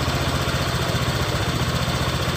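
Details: Honda Vario 125 LED scooter idling while the fuse and relay wiring is checked for a total electrical failure: steady, even low putter with a smooth regular beat and no knocks or misses; idles normally.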